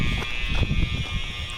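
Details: School overfill alarms heard from outside; continuous shrill electronic tone at one steady pitch over low background thumps. Fire panel showed a shunt trip monitor supervisory, believed unrelated to fire alarm system; cause unknown.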